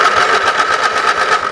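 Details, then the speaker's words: Lawn and garden tractor, key turned to start while testing solenoid output terminal for 12 volts: quick even cranking chug with steady starter whine; normal starter cranking. "obviously I'm getting voltage out of there because I can hear the engine crank"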